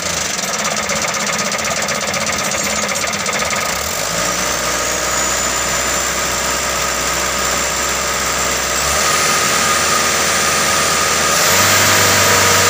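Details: Mitsubishi Canter 125 diesel that was hard to start, after injection pump adjustment: steady clatter at a firm even idle, stepping cleanly through a few speed changes without missing; running normally, though not perfect.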